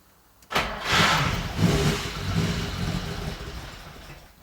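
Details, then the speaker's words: 1967 Ferrari 275 GTB/4 carbureted engine, cold start after three pedal pumps, little carburetor movement from the pedal: cranks, stumbles unevenly and sags, seemingly wanting more fuel; hard start from misassembled throttle linkage. "Looks like it wants more fuel."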